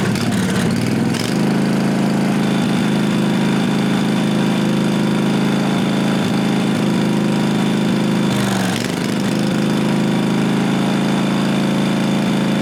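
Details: 1998 Briggs & Stratton Vanguard 16HP horizontal-shaft V-twin (model 303447) after fitting a working fuel pump; loud, steady thrum through small temporary muffler, even speed, no stumbles. Normal running.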